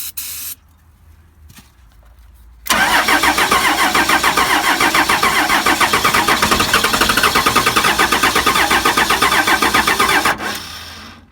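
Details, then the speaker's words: Cheap, long-unstarted 12-valve Cummins diesel on extra-strength starting fluid; even beat of about four pulses per second for roughly eight seconds then dies; fuel present at the P pump, owner suspects fuel solenoid wiring; no sustained run. "Went a little bit. Tried a little bit more. Sounds good."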